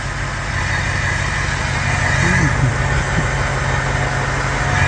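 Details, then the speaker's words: Ford 6.0 Power Stroke V8 diesel idling after #8 fuel injector replacement: even steady idle with soft regular firing pulse, no skipping; miss heard before is gone, quieter and smooth; normal idle. "Yeah, there's no miss. You could hear a miss before, and now it just sounds like a vacuum cleaner. It does sound good. Yeah, it's quieter. Nice and smooth."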